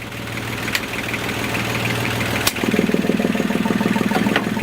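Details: Lagoon 38 catamaran diesel engine, heard in the engine compartment: a steady chug at about two beats a second, even and unhurried, with a few handling clicks over it; a healthy idle.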